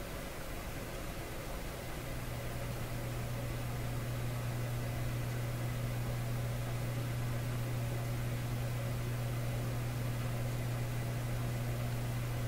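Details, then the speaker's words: Canadian Admiral J104X/J105X console amplifier after adding an extra filter capacitor, microphone just in front of the speaker: constant low hum with faint hiss remains, unchanged. "there it is so how much hum is that I mean it's definitely there it can certainly hear it"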